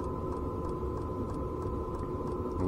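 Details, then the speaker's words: Domestic "Grasshopper" camper trailer heater running at 50% power, heard from outside: quiet steady hum, soft regular fuel-pump ticks about three a second over a muted burner roar, mainly flame combustion sound; heater running normally. "сейчас отопитель работает на 50 процентах мощности снаружи Понятно слышно в основном звук горения пламени"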